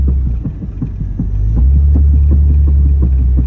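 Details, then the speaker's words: 2WD Jeep Grand Cherokee WJ driven in snow on the rear driveshaft only after the 4WD driveshaft couldn't be fitted: deep rhythmic throb under a low drone quickening with road speed, train-like; driveline suspected, cause unconfirmed. "Speeds up with speed, which usually is drive line, so"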